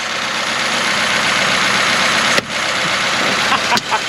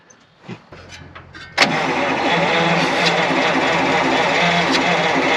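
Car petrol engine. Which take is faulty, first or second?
second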